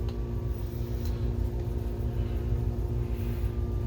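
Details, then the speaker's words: BenQ HT1075 DLP projector that overheats and shuts down after a few minutes: rough, uneven whirring hum with a faint whine. A lamp exploded, shooting glass into the blower fan, damaging its lower blades; replacement fan needed. "we'll fire it up and just see what it sounds like that didn't sound good we do have a picture"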